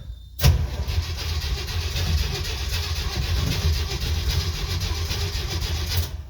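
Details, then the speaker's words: 1969 Jeep Willys CJ5 cold start after sitting about 7 months over winter, freshly charged dead battery; starter turns the engine sluggishly and unevenly for about five seconds without catching, weak battery dragging the crank. "Okay, so I had a dead battery. Have that charged up now. Hopefully it's still good."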